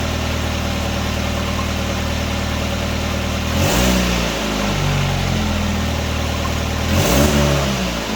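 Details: 1999 Nissan Sentra 1.6 after an EGR delete and new headers were installed: a smooth idle, then two quick throttle blips rise and settle cleanly with no rattles or popping. Much quieter than before the repair. Normal revving.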